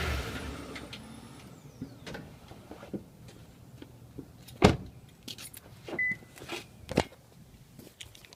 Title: Tundra clunk noise?